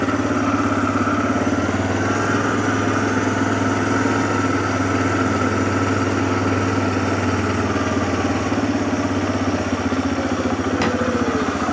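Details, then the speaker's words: 2007 Arctic Cat ATV 400 engine with even, rapid putter holding steady, no stumbles or surging, after sitting a year and a half; fixed with carburetor cleaning and a new spark plug, clean healthy idle. "We got it up and running. We did what we were supposed to do. It's back in business."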